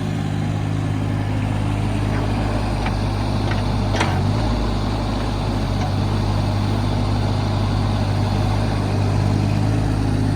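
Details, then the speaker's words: 2008 John Deere 17D mini excavator diesel at idle: steady, even low rumble with a few light clicks, no leaks noticed; engine sounds healthy and smooth. "Engine sounds good. We don't notice any leaks. Everything seems to be in good operating condition."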